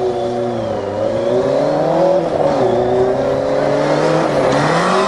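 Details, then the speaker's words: Motorcycle-engined dune buggy with no reverse, battery boosted after sitting all winter, first drive: revs climb and waver while speed lags behind, flaring without pull; clutch slipping under acceleration. "oh you can hear that foot slipping definitely slipping directions hell yeah was that the clutch I hear slipping yeah oh yeah it's really slipping"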